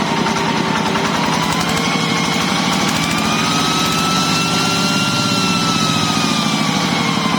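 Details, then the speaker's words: Yanmar TF105LM diesel tractor that revved by itself and would not stop, governor stuck or worn, restarted after a temporary fix. An even, steady chug at a settled idle with no hunting or surging; normal idle, problem gone. "นะครับหายแล้วนะครับก็ยามเลยนะครับว่าการทำวิธีนี้ก็คือแก้ปัญหาเฉพาะหน้านะครับ"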